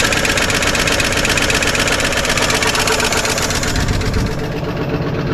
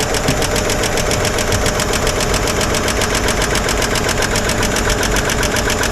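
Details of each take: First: 1955 Chevrolet 210 four-door sedan, long-stored, with two-stroke oil in the fuel: even steady idle with light regular valvetrain tick, no misses or knocks; running smoothly despite noisy lifters and rockers. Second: 1955 Chevy 210 sedan, sat many years, first start on old tank fuel: fast, even top-end ticking over steady idle from a couple of noisy lifters, quieting as oil reaches them; pushrods spinning, a little bottom-end noise noted.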